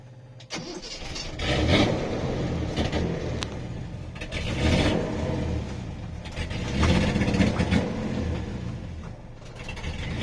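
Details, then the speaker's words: 1973 Datsun 240Z series 2 on carburetors, running rich and not yet tuned; it died on the road and now cranks in uneven bursts without firing. It had run out of fuel because of a badly calibrated fuel gauge. "oh no that's no good we're stuck we're stuck we just ran out of fuel"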